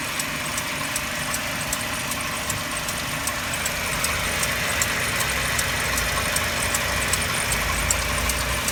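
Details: Mercedes-Benz W204 with M271 engine, cold idle: crisp, regular tick-knock about two and a half times a second over a steady hum; source not identified, owner asking for help.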